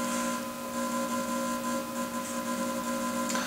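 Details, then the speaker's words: RC-1AU universal battery charger with power intensity turned up: steady electrical hum with fixed tones, normal, indicating battery taking charge. "but you can see here if we turn up the power intensity you can hear a humming sound that's normal that's indicating that it is taking some kind of a charge"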